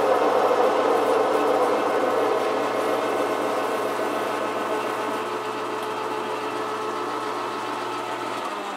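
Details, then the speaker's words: Metal lathe parting off at the same rpm after switching to a shallower chuck with less overhang: steady, even cutting hum slowly softening as the tool goes in, with no chatter or ringing; smooth parting cut. "let's put the other chuck on and we'll try uh this same rpm and see how much resonance we get okay same rpm different chuck less overhang"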